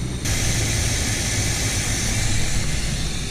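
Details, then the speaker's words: 1975 Chevy C10 Quadrajet, warmed up, nearly off choke, after realigning the secondary throttle blades: smooth, even low rumble at about 750 rpm with no misses or surging; normal warm idle. "so almost off the choke and we are idling 750. that is perfect so we did fix the issue"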